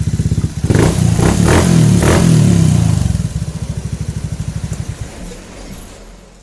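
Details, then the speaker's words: Honda Beat ESP PGM-FI injection scooter, after checking charging coil wiring, ground and fuse-box relay for a new battery draining fast: small rev blips then even putt-putt idle about four beats per second; starts and charges normally. "Alhamdulillah ini bisa distarter dan akinya tentunya bisa ngisi kembali"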